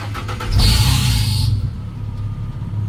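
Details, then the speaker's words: Turbocharged 4.9 (300ci) truck, AC deleted, new belt fitted and timing corrected: start cranks and catches with only a short high chirp, then goes straight to steady fast high idle; previous long belt squeal essentially gone. "But the truck doesn't squeal as much when you start it up. It go straight to high Iowa like it should."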